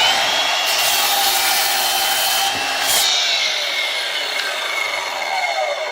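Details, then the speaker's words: Aldi Workzone 20V cordless sliding mitre saw cutting 75x35 mm timber held in its clamp: blade whine holds steady while rasping through the wood, with no bogging, hesitation or binding. Normal clean cut. "No hesitation, no binding. It's actually a good blade on the thing. I'm quite impressed."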